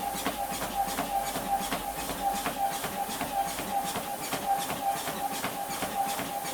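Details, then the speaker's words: Confidence Fitness treadmill after lubricating the belt with silicone oil: steady high motor whine with a light regular tick about once a second. Improved, but the belt still catches slightly at the highest speed. "do this okay so we're getting some so definitely improved but at the highest speed still catching slightly"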